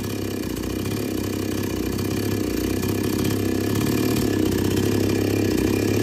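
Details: Chainsaw that would not take load or restart after running. After setting H and L screws fully in, then out three turns, it gives a steady two-stroke burble that picks up and holds without stumbling: normal running.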